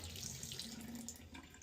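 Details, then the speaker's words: House water shut off at 1.5-inch main ball valve before fitting ball valves as a workaround for rusted laundry shut-off valves: steady hissing rush of water from open tap, fading as residual line pressure bleeds off while the system drains. "What we need to do is drain the system. There's a resid residual"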